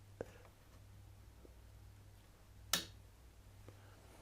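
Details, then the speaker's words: 405 series refillable ink cartridge in an Epson WorkForce WF-7300 series printer, angled in, dropped into place and pushed at the push mark: quiet room, then one sharp crisp snap near three seconds; latch clicked, cartridge properly seated. "So here we go. We've angled our cartridge down, we've located it, we've dropped it into place, and all we're going to do now is where it says push, and did you hear that click?"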